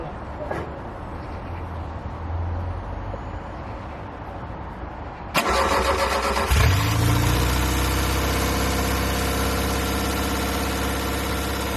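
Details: 1969 Ford Capri after fitting another carburettor with smaller choke, choke on: catches after cranking and idles steady but lumpy with slight hunt; poor idle, idle speed screw/mixture adjustment suspected, unconfirmed.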